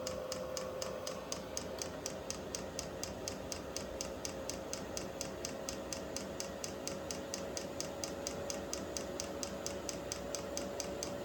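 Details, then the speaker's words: Vevor 8 kW Chinese diesel heater on its first startup after install in a storage container: even fan whine creeping up, with crisp, steady fuel-pump ticks about four per second. Air in the fuel line is suspected. Heater is running normally. "A pretty steady click out of there now. There's a lot of air in that line, right? Fan's picking up."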